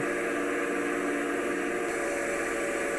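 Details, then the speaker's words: DC backup pump on rainwater system, suction and discharge open: steady mid-pitched electric hum, no rattle or cavitation; amps climbing 3.6 to 4.7, pressure climbing, running normally. "There's our pressure climbing. Pretty good."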